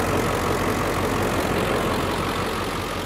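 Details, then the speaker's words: 2003 Ford Excursion with 7.3 Power Stroke diesel, about 13 years old, hood open; even gravelly diesel clatter at steady idle, no misses or knocks, healthy. "it's the last year of the 7.3 power stroke diesel i mean that's it's just a great motor"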